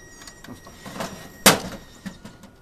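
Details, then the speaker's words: VCR attempting to play a VHS tape: scattered faint clicks and whirs with one sharp clunk, the tape mechanism labouring and failing to play. "Oh what is that sound what the [ __ ] is this [ __ ] why are you making this sound"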